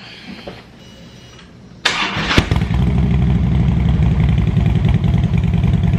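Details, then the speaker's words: Harley Road King, after an air-ride fix: quiet lead-in, short crank, then catches into a deep loping idle of about 200 beats a minute. A healthy cold start. "i'm going to uh go ahead and give y'all a cold start that way you guys can enjoy that"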